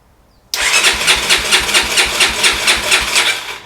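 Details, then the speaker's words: 1989 Honda NX250, first start attempt on choke: quick even cranking about two pulses a second with sputters that never settle into idle; won't start, carburetor fault. "Oh, that's not good. Huh. That doesn't sound good."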